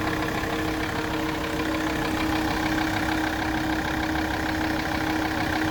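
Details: Alfa Romeo 159 2.4 idling: steady hum with a soft, fairly regular knock about twice per second, louder on the right side; source not pinned down.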